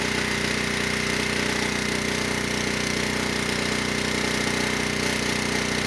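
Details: ETQ 2700-watt generator with brushless powerhead, found not running after years in storage: steady, even hum at one pitch with no hunting or knocking at 100 watts over rated load, near 61 Hz and 118 volts; healthy under full load.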